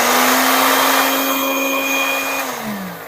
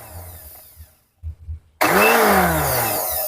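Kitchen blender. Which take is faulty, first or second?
second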